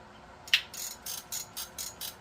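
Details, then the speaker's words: Garcia Cardinal 754 vintage spinning reel: rapid, even, high-pitched clicks, about three a second, as line pulls off the spool; drag is clicking and braking normally. "You tighten this down and it slows the spin rate of the. It's a brake, just like the brakes on your car."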